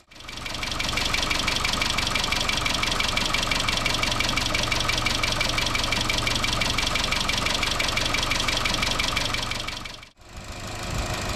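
Fast, even ticking rattle, about three per second, over a steady idle; lifters are starved of oil pressure and clattering.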